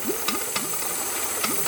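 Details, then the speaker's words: Boost leak test with intake covered and blow-off plugged: steady airy hiss over the idle with light ticking; a small vacuum port on the wastegate is bleeding off a little vacuum. "you heared you heard one little hiss and that's he has a little vacuum port on his wastegate that's bleeding out just a little bit of vacuum"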